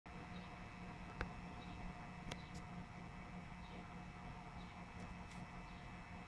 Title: EVGA Hybrid Water Cooler "buzz" sound